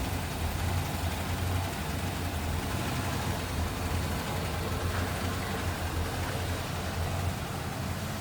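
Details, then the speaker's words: 1961 Plymouth Belvedere 4-door sedan, 30D slant six "economy 6" heard under the open hood: soft, smooth low hum barely above the background, no knocks or misses; normal quiet idle. "There it is, that slant 6. The economy 6 it was known as, the 30D. Barely hear that run underneath the hood too."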